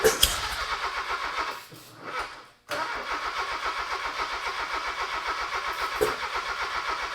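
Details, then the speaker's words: Honda K24 sandrail swap on a new harness and ECU, engine long sitting, with injectors possibly junk and sensor codes present. It cranks and briefly catches with sharp popping backfires but won't run: incorrect ignition timing. "I hope the backfires hurt my ear, but it was good to hear it almost start. >> Yeah, it was it was actually popping. Pop pop pop"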